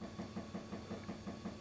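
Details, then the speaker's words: Car that won't start: sharp, evenly spaced knocks about five or six per second from the fuel tank at the rear while the fuel pump runs during cranking; pump delivers fuel strongly, cause of knocking unclear. "indítózunk nézd még utána is nyomja ennek jónak kell lennie hallod ezt a kopogó hangot ez hátulról jön a"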